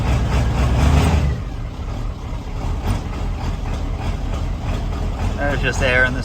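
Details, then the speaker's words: 1994.5-97 Ford 7.3L Powerstroke turbo diesel, 300k+ miles, after IPR valve replacement, cold 62°F start: surges hard then settles into an uneven, loping idle that steadies slowly as air purges from the high-pressure oil system. "yeah it's just air so we'll have to get all that out"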